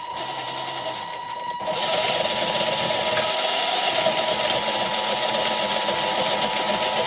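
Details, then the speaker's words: Tamiya MF-01X Suzuki Jimny RC chassis with suspension at full droop. The smooth drivetrain whir turns rough and louder, with a stuttering catch about three times a second, when steering goes to full lock; the front drive shafts are binding. "can hear the nice smooth sound of the running drivetrain start to stutter when we go to full lock with the steering"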